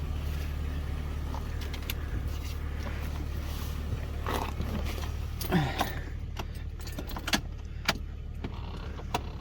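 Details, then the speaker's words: Jeep with old Chrysler 318 / 5.2 V8, 400,000 miles, not started in a while, three-year-old NAPA Legend battery: after cranking, low steady even idle rumble with keys jingling, no smoke, running smoothly. "Okay. Cranked up. No smoke, no smoke. This is old Chrysler 318 to 5.2."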